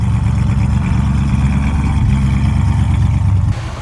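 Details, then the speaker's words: 1970 or 1971 Ford Torino GT 429 V8 that sat about 15 years, now with a rebuilt original carb; steady, even low rumble with no knocks or misses; normal clean idle. "Give her a little motivation. Runs pretty good. At least I think so. For sitting as long as she did."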